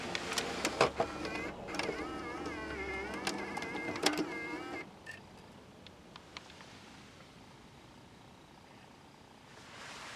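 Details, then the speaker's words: Normal disc loading in the CD changer of a 2007 Toyota Camry XLE V6 with JBL audio, after pressing load, waiting, then inserting: a few seconds of small motor whirring and clicking as the disc is drawn in, then quiet. "and also when you load the disc you do have to press load and it tells you to wait and then insert"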